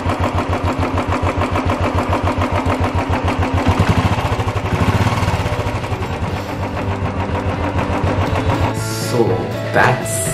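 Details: Royal Enfield Classic 350 UCE single, after a rattling-engine tappet-noise repair with rocker arms and head reassembled: a steady single-cylinder thump at an even idle with no tappet clatter on top, so the valvetrain sounds healthy.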